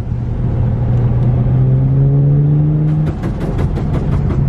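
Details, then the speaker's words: BMW 335is on its first real drive in two years after a rebuild: under throttle, sharp scraping rasps repeat beneath the car; owner suspects a loose plastic underbody trim piece rubbing. "all right looks like we're something is rubbing on the bottom of the car guys i don't know if you guys can hear that scraping sound"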